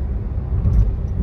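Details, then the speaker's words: Hyundai Venue turbo on road test after misfire repair (weak spark plug found, plug swapped between cylinders to confirm): deep, even engine rumble under load with no stumbling, turbo boost returned, pickup good. "गाड़ी एकदम बिल्कुल perfect है अभी लग रहा है कि हा सच में टर्बो गाड़ी चला रहे हैं टर्बो का बूस्ट मिल रहा है गाड़ी में गाड़ी एकदम मक्खन बन गया"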